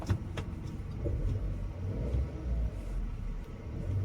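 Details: VW Polo that stalled after 10 km with lost pickup and cylinder 1 misfire code P0301, after fitting a new spark plug and refitting the coil: steady low rumble at idle, even beat, no stumble or miss; faults cleared and rescan shows none—normal idle.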